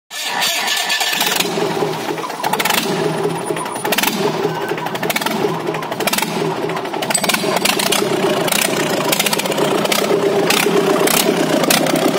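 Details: JCB Kirloskar 4R1040 diesel, first start after rebuild: catches within a second of cranking and settles into a steady, even clattering run that holds speed; normal running.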